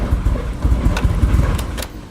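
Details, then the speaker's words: Nissan 240 with SR20 engine after losing power at about 5,000 rpm: uneven, lumpy idle with irregular low thumps, running super rich. Reseating the MAF changed nothing. "Still running just as rough. Super rich. Did not change a thing."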